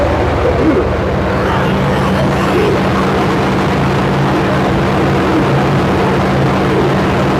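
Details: Square body Suburban big-block V8 after accessory belt replacement, sat about two weeks: deep steady idle, even beat, no belt squeal or chirp; healthy.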